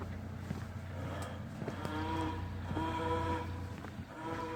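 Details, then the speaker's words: 1930 Ford Model A pickup, off the road since 1986: horn gives a weak wavering low moan like a dying cow while coasting at low revs; owner suspects it needs oil or the generator isn't producing enough voltage yet. "Sounds like a dying cow. Yeah. It probably needs oil."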